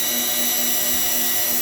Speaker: oh yeah you hear that something's in the way over here I don't know what it